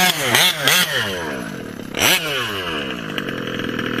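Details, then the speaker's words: OBR 34 reed small-bore gas engine in a 5B race-kit RC buggy: screaming full-throttle bursts that blubber and burble at the top end because the needle is set too rich. After leaning it out slightly it sounds a little better. "yeah but it sounds a little blubbery on top [Music] [Music] a little better [Music] i think that's fine i don't want to lean it too much on top i just want to get rid of that when you full throttle it that blubbering sound on the top"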